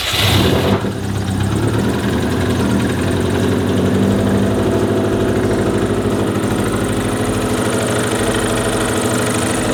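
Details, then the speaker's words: 2004 Subaru WRX STI EJ, reused built short block of unknown mileage, second start with oil and fuel pressure, no check engine light: fast idle with irregular deep knock; AC suspected, also rod knock or bad piston slap, unconfirmed. "that sounds like rod knock it's either really [ __ ] bad piston slap or rod knock dude"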